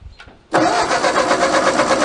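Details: 1939 Ford 9N tractor with a used engine rebuilt 30 years earlier, after sitting 25 years: steady rapid starter churning with even compression pulses but it never fires; spark vanished after a coil change, and switch contacts are suspected.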